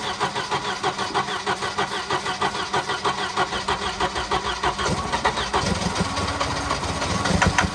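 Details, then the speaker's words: Wrecked Volvo 240 B230 engine, previously stuck, after replacing a burned-out coil: uneven sputtering about three pulses a second that stumbles and never settles; rough running and stalling from fuel starvation. "Yeah, it's just not getting enough. It would run."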